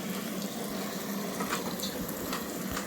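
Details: Front-loader automatic washing machine with back and top covers off, drain pump previously replaced: steady hiss of water filling the drum with light splashy trickle, no pump noise or knocking; normal fill.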